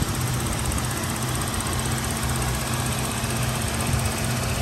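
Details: 2003 Toyota Kijang LGX 1.8 EFI manual with 297,000 km, first owner: steady idle with a fine, quick, even injector ticking over a smooth low hum; the engine is healthy.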